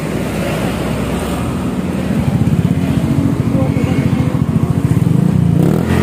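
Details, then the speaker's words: Honda Scoopy with CMS aftermarket muffler, before repacking: hollow, rapid low putter rising with revs, uneven and rattly with empty-sounding gaps rather than deep; silencer packing worn thin, owner wants a softer, deeper tone. "oke sekarang yang ada suaranya seperti ini ya Bro ya Jadi kurang lebih kayak gini nih ada kosongnya ada kosongnya"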